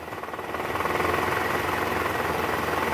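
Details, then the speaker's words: 2012 Toyota Camry 2.5 V, 2AR-FE, 167,000 km, cold start with AC on, heard from the side: rough uneven clatter about three or four beats per second, worse in reverse, reduced in neutral, loudest at oil pan; worn balancer shaft rattle, confirmed on teardown. "R kalau Netral suaranya berkurang nah ini indikasinya dari balanerap tadi kita sudah analisa guys bunyi yang paling kencang itu adanya di area panci oli mesin sini nih"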